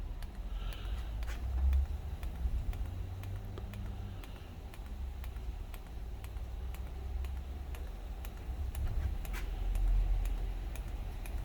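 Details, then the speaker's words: DIY diesel heater with homemade controller, start-up after glow plug stage: rapid sharp ticks three to four per second over faint hum; fuel dosing pump pulsing far too fast. "So roughly about now-ish, hopefully we should see a bit of activity, and the fan should start up and the pump should start to pulse. Right, that's pumping way too fast."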